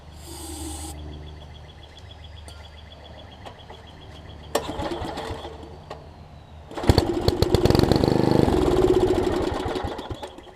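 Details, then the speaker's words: 1960s Snapper Comet rider small single-cylinder after swapping a bad spark plug that was arcing all over the electrodes: catches after cranking and runs with an uneven chuffing beat, semi-running but still rough. "that plug seems to be good which is awesome we have a semi-running mower"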